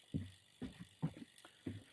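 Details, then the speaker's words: Bicycle chain jumping on the rear cogs while pedalling, sharp clunks about twice a second; derailleur suspected slightly out of position, so chain skipping gears. "you'll probably hear it more and you can see it right it's jumping it's gutting"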